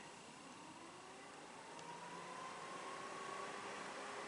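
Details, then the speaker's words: 2006 Chrysler PT Cruiser, engine off, secondary radiator fan (fan number two) commanded on by scan tool actuation test at 90–100%. Quiet, even whoosh with the tone climbing as the fan spins up. Fan running normally. "that's the second secondary fan I don't know if you can hear it just shut off radiator fan number two"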